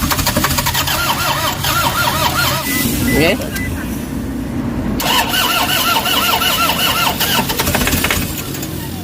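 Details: Toyota HiAce common-rail diesel: starter spins the engine in two long cranking bursts at steady speed, but it never fires. Crank no start with codes P0087, P0107 and P0400; scan shows low fuel rail pressure. Later fixed.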